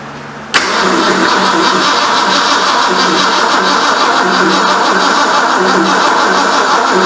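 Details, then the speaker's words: 1973 Ford Mustang Mach 1, 351 Cleveland, first start after engine reinstall; steady cranking several seconds without a pop, no fire. Owner temporarily connected a wire he thinks is the coil hot wire; cause unconfirmed. "I think that is the hot wire for the coil. Seems like we would have pop or spit or something."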